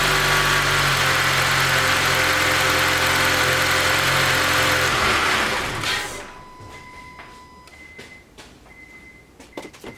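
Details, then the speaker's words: 2012 Honda Accord Crosstour K24 engine after timing repair (new timing chain, guide, tensioner, VVT actuator) for cold-start rattle and P0341/P0171: even, smooth idle with no chain rattle or clatter, codes cleared; normal cold start. "The check engine light code is gone, so there's no timing code, and then the noise is also gone."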